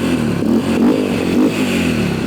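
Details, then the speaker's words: Yamaha 123cc single-cylinder dirt bike after rebuild with Temu cylinder kit, as a fuel leak is checked: fast idle with small wavering blips and light top-end noise; idle a bit high, but quieter and less clangy than with the old parts. "a little high on that idle there but did it stop leaking"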